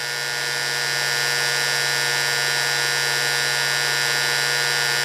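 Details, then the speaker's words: Induction heater heating a part: relay pulls in, then the power supply gives a steady, even high-pitched buzz as the heating cycle starts at about 54 millivolts across the shunt, dropping as the part heats; working normally. "when you hear the relay pull in and buzz what you're hearing now is the power supply that means we're starting the heating cycle"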